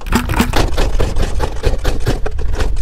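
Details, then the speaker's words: 1984 Honda 200X three-wheeler: uneven low thumping in ragged bursts, won't settle into idle; fuel starvation because carburettor floats were fitted upside down, so no fuel entering. "back apart not everything but the carburetor I had the floats on upside down so no gas going in"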